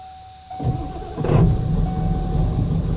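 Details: 1996 Ford F-250 7.3 Powerstroke diesel fed from a homemade fuel tank after pulling air through the fuel lines. Starter cranks briefly, then it catches and settles into a steady low clattery idle with no stumbling, running normally.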